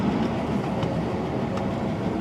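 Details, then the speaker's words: 1936 Buick Special Series 40, 233 cubic inch 93 HP engine with 3-speed manual, running on ethanol fuel: under acceleration it runs smoothly with a faint light clicking that grows louder on throttle, source not identified. "if you get on it you'll hear the clicking a little bit louder but it runs pretty good"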